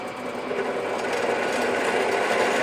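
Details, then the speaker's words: ENP370 drill press with a larger drill bit in aluminum, spindle speed a little too fast: a loud, rapid buzzing chatter as the bit cuts. Increasing the feed overcomes it. Drill bit chatter from excessive spindle speed. "so now as this one tries to it's going to chatter it's going to chatter a lot"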